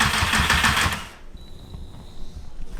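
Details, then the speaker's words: VW Mk2 fitted with a Mk4 GTI 1.8T engine at its first start after a four-year project, with the injectors unplugged so it won't start. About a second of starter cranking that never catches, then a thin fuel pump priming whine. "I guess it's time to see if she'll crank me I'm plugging the injector so it won't start"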